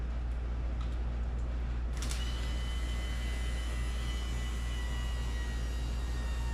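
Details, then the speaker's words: Spare electric fuel pump on a 1988 Camaro that had sat for a decade, wired to a battery to feed a jug: faint high whine starts over a steady low hum and holds even; electric fuel pump running. "oh wait we can't even I hear it it's pumping if I got it hooked up right we should pump right through"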